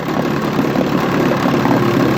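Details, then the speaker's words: 1959 Johnson QD-20 10 hp outboard with a brand new ignition system and good compression (owner estimates 80-85 psi, not gauged), restarts readily: steady, even two-stroke burble at idle with no misfire or knock, running healthy. "Sounds really good I didn't even do nothing to the carburetor, nothing. Unbelievable!"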